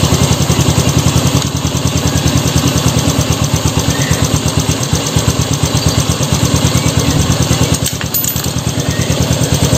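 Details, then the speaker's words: Honda Revo Fit fuel-injected motorcycle after replacing both camshaft bearings (6904 and 6001), the throttle body idle air adjuster and a rubber part: steady, even single-cylinder idle with no knocks or misses, and it no longer stalls. "mesinnya halus lembut kepalanya ya standar langsamnya ini sudah tidak mati-mati lagi nggak seperti awal ya"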